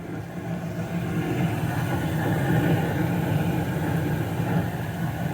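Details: Bryant (Payne) furnace back up and running after a blown fuse (error code 24) was replaced and the stuck inducer motor was swapped: even low hum with steady airy rush, no knocks or squeals, inducer running smoothly.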